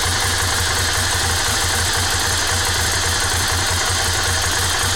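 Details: S2R 1000 twin at idle: loud, busy mechanical clatter riding over a steady low thump; abnormal engine noise, cause unclear.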